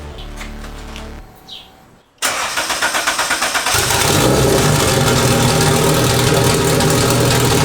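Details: Big-turbo Honda Civic on jack stands, first start after reinstalling turbo, wastegate, vacuum lines and freshly painted exhaust: starter whirs, catches cleanly, settles to steady even idle, no ticks; sounds healthy.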